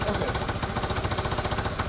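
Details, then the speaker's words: Peugeot Tweet 125cc scooter after new top end, idling: sharp rapid chuffing about eleven a second; exhaust blowing, possibly from an untightened exhaust joint, suspected not confirmed. "also there's a blow in the exhaust you can hear that the exhaust is blowing"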